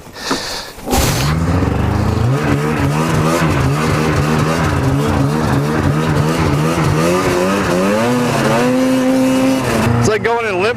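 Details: 1997 Yamaha VMAX 500 two-stroke snowmobile, abandoned for years, ridden in deep snow after full-choke start; revs rise and fall, sagging and struggling under throttle; owner suspects coolant system failure, guesses head gasket; loss of power.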